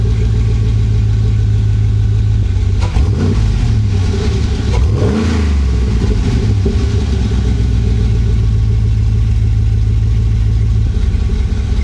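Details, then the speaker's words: 2011 GMC Sierra 1500 with swapped 6.2L L92 V8, started after both exhaust manifold gaskets were replaced following a blown gasket. Steamy from condensation after sitting. Steady, even idle with a short rev blip that settles smoothly, no ticking or puffing: normal idle. "Okay, I got the exhaust all fixed up. Both exhaust manifolds are done. Just gonna fire it up right now. It's gonna be a little steamy because the thing's just been sitting for a while."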